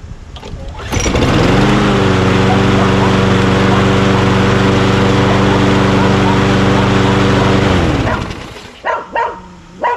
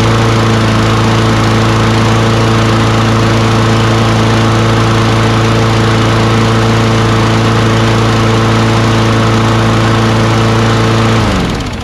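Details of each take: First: Craftsman push mower with Quantum engine, after the bail handle brake cable was replaced, oil at full mark: fires up and runs an even, steady drone with no misses or knocks, then shuts down. Normal running. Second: Free Craftsman push mower with auto-choke Quantum single-cylinder engine: runs at a high, steady buzz with even firing, then shuts off. Engine speed is too high; the governed rpm needs adjusting.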